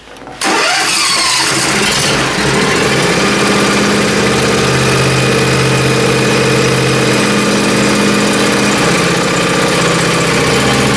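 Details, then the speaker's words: 15 hp Powerfist engine on a John Deere zero-turn, cold start in freezing weather on full throttle: cranks and catches quickly, then settles into a steady even idle with no stumbles or knocks. "so well it didn't start too bad"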